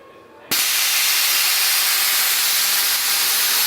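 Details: Truck (UBTK5) lowering: sudden loud, steady rush of hissing air as the bags dump; normal air suspension release.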